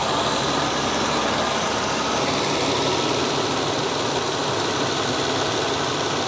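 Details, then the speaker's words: V12 BMW 760Li after new water pump, fan clutch and fan blade wheel: smooth even idle with steady hiss from belt and fan area, no knocks or rattles; normal idle, repair confirmed. "seems to be fine"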